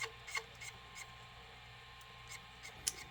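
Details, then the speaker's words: Sony SLV-575UC VHS VCR in play, with dry scratchy rubbing bursts over a faint hum from the pinch roller on a bent shaft; grinding worsens when the roller is pushed one way. "do you see this do you hear this noise c c c c c this it's coming from here this pin shoulder sha now watch when I when I'm pushing inside towards this pinch roller gone if I push opposite side get worst"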